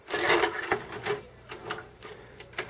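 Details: Sony MHC-ZX30AV mini system CD changer after replacing worn belts with elastic bands: short whirring, rubbing tray mechanism with clean clicks between, moving freely without slipping; disc tray and eject now work normally.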